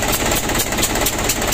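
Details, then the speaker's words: 120 PS Ragasa diesel with reported engine leak: steady diesel idle with a sharp, loud, regular ticking hiss each firing cycle, compression gas blowing past the leaking number three injector nozzle. "ternyata Lur ada kebocoran pada nozzle nomor tiga Suaranya sangat crosshair ya"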